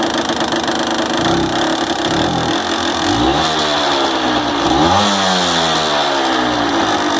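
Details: Honda NSR 125 Foxeye JC22 two-stroke close-up, buzzing and revving with a dry metallic rattle running through it: piston slap.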